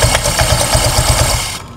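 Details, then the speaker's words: Honda Vario 125 idling with the CVT cover off: quick chirp about five times a second from the front pulley, roller housing or fan area; the parts look fine and the belt is undamaged. Water spray is planned to confirm the source. "ini suaranya seperti berasal dari puli depan Pak ya suaranya seperti dari bagian rumah loler ataupun kipasnya Pak sini bunyi cericit"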